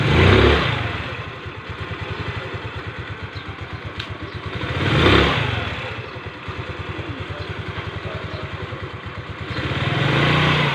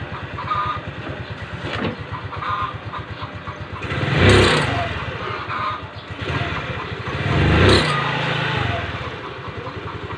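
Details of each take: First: Rusi Gala scooter after replacing a heat-hardened CVT V-belt: steady idle putter and three clean throttle blips, with the scraping noise from the CVT gone. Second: Rusi Gala scooter, stock belt about two years old and hardened by CVT heat: idle then three throttle blips bring a rough scraping rush from the CVT; worn V-belt, fixed by replacement.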